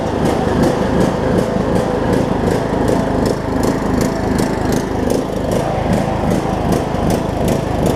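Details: John Deere LA105 riding mower engine, idle about three years, running near 40°F after draining fuel and cleaning carb, pulses up and down two to three times a second, never settling; surging, owner suspects gunk still in tank.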